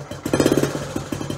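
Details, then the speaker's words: Honda Trail 90 (CT), about 50 years old and all original, carburetor tuned with idle set deliberately very slow: uneven but steady putts about eight to ten a second, engine keeps running; normal slow idle before the idle screw is turned up. "I might have the idol a little slow kind of like a point of pride is slowing the idol down to like the perfectly slow like how slow can you make it and still have it run"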